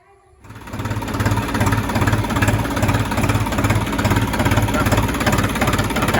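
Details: New Holland TT 3.50 tractor diesel idling after replacing the fuel tap clogged by dirty fuel that caused stumbling; even steady chug with regular beat, no stumbles or misses: normal diesel idle.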